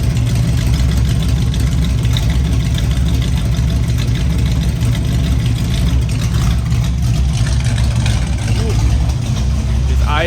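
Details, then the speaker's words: 1967 Mustang under restoration, idling: low steady rumble with an even pulse, nothing ticking or knocking; engine idles cleanly, though the owner thinks there is a small transmission leak, possibly from the torque converter area. "It's idling good."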